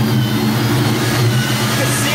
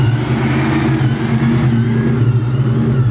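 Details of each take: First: Vortech-supercharged 1999 Ford Mustang GT at operating temperature: the idle burble rises and dips, attributed to a dirty MAF signal from the blower; the car drives perfectly and a tune could refine it. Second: Vortech-supercharged 1999 Ford Mustang GT V8 with Tial Q 50 mm blow-off valve revving, loud deep revs settling with an air hiss near the end; idle fluctuates from blower/charge-pipe issue, runs great driving; normal revving.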